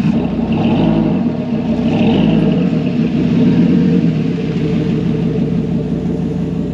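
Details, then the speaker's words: Dodge Ram SRT-10 truck with Viper 8.3L V10 (510bhp) revving; uneven stumbling beat under the rumble, owner suspects a misfiring plug or coil pack and says it could probably do with a service: rough running on rev. "now as you can hear it probably could do with a little bit of a service sounds like uh maybe one of the plugs is missing one of the coil packs is missing"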